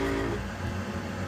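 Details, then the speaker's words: Weil-McLain HE boiler (integrated control 1013-200) firing: steady low drone with buzzy rattle from the combustion blower; technician says it's definitely loud, mounts might be tired, will pad it against vibration and recommends new motor. "The mounts might be tired. These are mounts that might be bothersome. It's definitely loud."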